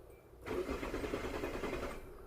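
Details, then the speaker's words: 2001 Hyundai Santa Fe that broke down and won't start: the starter spins the engine evenly for about 1.5 seconds with no firing, and the scan-tool engine rpm stays unchanged; a failed crankshaft position sensor. "all right so the other numbers have changed it but that engine speed rpm is not changing so that right there in verifies that we have a crankshaft position sensor issue on this car"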